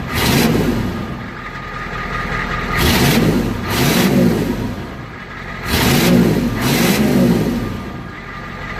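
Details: 1993 IDI diesel truck after DIY injection pump fuel increase (about three flats of a turn) and bleeding air from lines, mic by the exhaust: clean rev blips dropping evenly to idle, no misses or knocks; now starts quickly.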